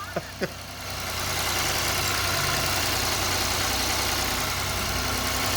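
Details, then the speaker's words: Ford EcoSport 1.5 with manual gearbox removed: engine run without the gearbox idles steady and even with no knocks, ticks or clatter, ruling out the engine and crankshaft as the noise source; normal idle. "Prendemos el motor sin la caja y no tiene ruido."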